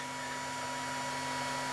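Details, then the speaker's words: Laser galvo scanner mirrors driven by the XY output of an oscilloclock control module: steady high-pitched buzz near one kilohertz; the drive frequency is suspected to be far too high for the mechanical mirrors, so the display fails. "You can hear them buzzing, right? They're making a buzzing sound, and normally they don't operate that quick."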